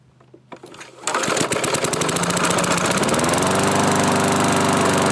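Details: 1986 Murray mower, revived with salvaged parts and fresh oil, started on full choke: a few sputters on the pull, then catches and settles into a steady, even beat; healthy normal running.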